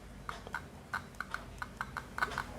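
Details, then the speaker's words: 8-ohm 0.5-watt loudspeaker tested with analog multimeter on ohm scale: about a dozen crisp clicks as probes touch and lift, reading between 5 and 10 ohms; speaker coil intact and good. "Selain dia menunjukkan angka, loudspeaker juga membuat getaran atau terdengar suara"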